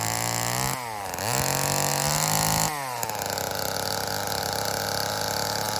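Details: Old Homelite chainsaw, owner guesses 1960s or 70s, cutting wood after reassembly: high buzzing two-stroke revs up, bogs slightly and recovers as the chain bites; runs and pulls fine, owner says tuning could improve it.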